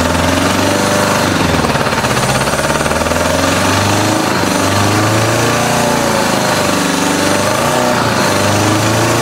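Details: 1986 Honda Goldwing GL1200 SE-I fuel-injected, first start after electric fuel pump fitted: rough, lumpy, choppy idle; pipe test finds two exhaust pipes cold, running on only two cylinders; owner suspects stuck injector.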